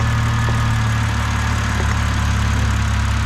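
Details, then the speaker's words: 2006 BMW 325xi, N52 engine, automatic, AWD, just started with the fuel injector back in, cam timing faults still unresolved: loud, deep, even idle with a steady rumble and no stumbles or misses. Normal idle. "all right so the fuel injector is back in it now we just had to start it up and see if it runs any better all right running nice and smooth now not bad"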